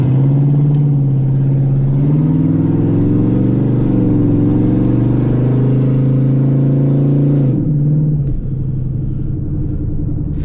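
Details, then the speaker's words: 2003 Ford Explorer 4.6 V8 at about 0 degrees, exhaust system completely off: loud, raw, unmuffled bark with a deep steady rumble that swells on revs; sounds good uncorked, missing exhaust. "Say what you will, this motor sounds good unrestricted. Yeah, it does."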